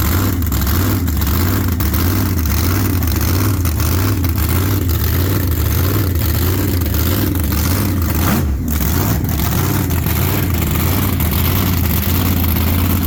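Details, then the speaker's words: Race car V8 warming up after a bad axle bearing leaking 80-90 gear oil was replaced: deep, loping idle, even and steady with no knocks or misses; idle smooth and gear temperature stays good. Normal. "so idle smooth and gear temp stays good while it's running"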